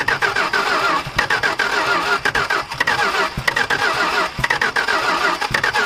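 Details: Dodge stepside big-block truck with fuel fed into the carburetor and a weak battery: fast, even starter pulses of about four or five a second with brief catches but no steady firing; cranks without starting.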